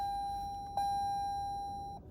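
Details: Toyota hybrid started with push-button or turnkey: one clean high chime, then a quiet cabin with no engine cranking; the READY symbol lights and the gauges come up, so the hybrid is simply on and ready. Normal ready chime.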